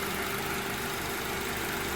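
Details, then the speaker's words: Honda TSX (CL9) with a DC Sport 4-2-1 header, checked for raspiness: an even, steady idle hum with no ticking, rattling or buzzing, smooth and healthy. Some engine vibration is attributed to the AC compressor cycling. "sounds smooth how smooth smooth that's what it was"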